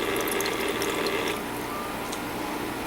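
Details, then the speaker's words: Countertop ice maker with brand-new replacement water pump: fast light rattle over trickling water, steady with no whine, easing partway through; the new pump rattles while running. "but yeah for brand new that really doesn't sound all that great"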